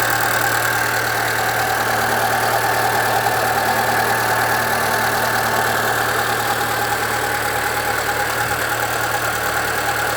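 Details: 2013 Chevrolet Celta 1.0 at idle: constant whirring hum with faint rhythmic ticking at the front of the engine, getting worse; timing belt replaced at 50,000 km without fixing it, and the owner suspects the water pump, which has slight play.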